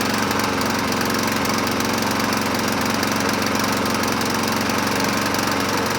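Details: 2007 Honda HRR2162SDA Quadra Cut mower, after freeing a stuck-open intake valve, started on choke: a steady, even single-cylinder putter at fast idle with no misses or knocks; normal running.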